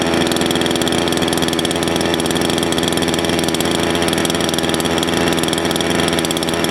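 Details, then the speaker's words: Salem Master chainsaw, low-speed idle jet turned too lean: busy, high-pitched two-stroke buzz racing at idle instead of settling, chain starts moving; idle too high, less top end. Lean idle mixture. "okay if you noticed when i leaned it out a little too far it sounds like sun's getting really happy but actually it won't have as much top end and you notice the chain started to move that's not where you want your idle"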